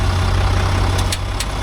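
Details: Range Rover L405 3.0 SDV6 with replacement engine at 60,000 km: steady diesel idle with a few sharp light clicks as the wheel is turned at standstill; power steering suspected, traced to a dry-fitted skid plate shifting.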